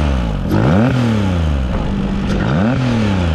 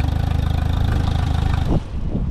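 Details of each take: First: Mercury 40–60 HP FourStroke EFI outboard after throttle body replacement for high idle and stalling: two quick blips climb cleanly and drop straight back to steady idle, IAC chirping, no stumble or hesitation; normal rev response. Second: Mercury FourStroke EFI outboard, on water: fires and settles into fast even pulse higher than proper idle, IAC stops cycling; high idle because warped throttle body stays slightly open.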